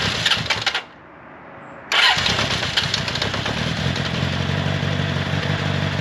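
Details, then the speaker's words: 1979 Honda CB750 inline-four, first start in over 20 years after freshly cleaned carburetors and new battery, choke on: catches first try after brief crank and settles into an uneven, hunting idle; carbs need more tuning, perhaps idle screw turned up, suspected. "so it sounds like the carbs need a little bit more tuning i may need to turn the idle adjustment screw up but wow just first shot that thing fired right up"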